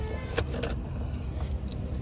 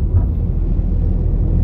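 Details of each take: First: Ford EcoSport diesel, sat long, check-engine and oil lights on, oil possibly low: starts and settles into heavy low knock about three times a second at idle, before engine teardown. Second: Ford EcoSport diesel after engine repair, warmed by half-hour idle, on test drive: smooth even low rumble under way, earlier engine noises gone, steady road and engine drone; engine healthy, some suspension noise noted separately.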